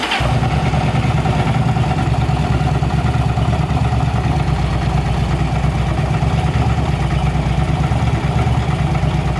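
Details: Yamaha V-Star 1100 Classic carbureted V-twin, brought in for exhaust backfire and flooded spark plugs. It fires straight away and settles into a steady, even, deep-thumping idle with no misses or pops. The problem was found to be a rotten pipe.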